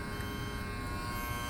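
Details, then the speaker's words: Trane TWP 018 heat pump outdoor unit on roof, set to cooling but not cooling; contactor buzzing with low hum; fuse found blown. "So I hear the contactor buzzing. I'm gonna open it up and see what it looks like inside."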